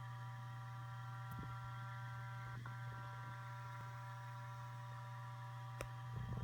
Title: ST8000DM002. Buzzing noise when idle